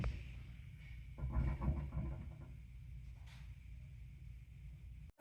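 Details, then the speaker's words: LG washer after replacing a bad drain pump that had caused an OE no-drain code, going into the rinse cycle: a steady low hum with water rushing through and no grinding or rattling; the new drain pump empties the drum normally. "It went through to the rinse cycle, so we'll just keep monitoring it. Sounds like it's draining out just fine."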